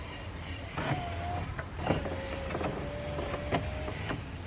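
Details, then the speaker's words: Hyundai Getz front door power window lowering after new glass installed: wavering motor whine with sharp clicks and rubs as glass catches; owner suspects leftover broken glass or imperfect installation; window noise when lowering. "there there it seems to be when it's going down it seems to be touching something either it's a bit of glass that was wasn't removed completely or it wasn't perfectly well installed"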